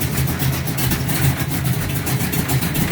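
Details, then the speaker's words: 1969 Charger V8, cold start, after fixing the header-to-head exhaust leak with doubled gaskets, pipes not yet welded; loud, lumpy idle with steady deep exhaust pulse and no ticking or puffing; sounds healthy. "That's its cold start. It's just about tuned and ready. Got rid of the exhaust leak up here."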